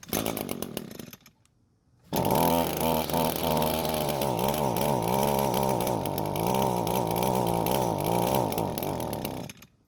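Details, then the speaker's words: Curbside-found Echo two-stroke string trimmer, fuel system primed and purge bulb filling: engine catches, surges unevenly with wobbling revs for about seven seconds, then stalls; suspected lean running from too little fuel coming from the carburetor. "so the engine doesn't want to stay running and more than likely it's because there's not enough fuel coming from the carb"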